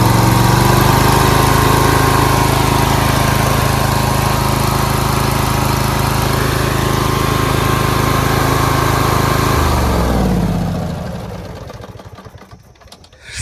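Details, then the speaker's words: Briggs & Stratton V-Twin after new pushrods, head gaskets, cylinder head and new carburetor, split fuel line cut back and missing bowl screw replaced: smooth, steady high-speed run with even beat, no misses or pops, clean wind-down at shutoff; runs great. "thing runs great."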